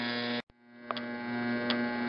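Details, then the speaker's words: Tecumseh HH120 engine fitted with a GM LS2 ignition coil and modified GM crankshaft sensor, turned at about 66 rpm: two sharp snaps a second apart over a hum, a normal top-dead-center ignition spark. "since it's a top dead center spark it's not going to kick back and if the carburetor is full of fuel and ready to go the engine will start running right at this very low rpm"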